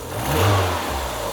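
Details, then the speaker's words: Mazda Miata at idle with a blowing exhaust: on a rev the engine climbs, sags and recovers, with a miss on the final rev; idle fluctuates about 100 rpm; cause not yet found. "So, when I rev, it's slightly should be slightly delayed and the engine will rev down and come back up. That's the problem it's got."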